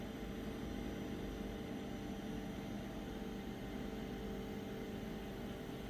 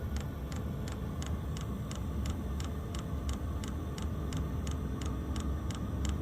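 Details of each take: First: WIPPRO diesel heater trying to start, pump getting signal: fan whirs steadily with no fuel pump ticking, tapping doesn't help; dead fuel pump, leading to E10 code after failed starts. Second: Wippro diesel heater after fitting the fuel pump from a second unit to fix E8/E10 codes. It primes with air bubbles in the line; crisp, even ticks of almost three a second over a low hum show the pump is feeding fuel normally, and hot air follows.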